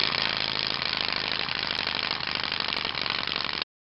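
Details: 12 V virtual pinball shaker motor run from about 5 V and up without screws pressing it in its enclosure: harsh, fast buzzing rattle over the small motor's hum at a steady rate, case chattering; enclosure rattle from loose motor mount.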